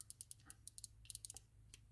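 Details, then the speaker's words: Daiwa UL-7 ultra light spinning reel during service reassembly: sharp light uneven ticks, about six or seven a second, as rotor turns because the anti-reverse dog is not lined up; properly aligned it runs silent. "But it's very easy to not have it lined up that way, and then you would just hear the dog click."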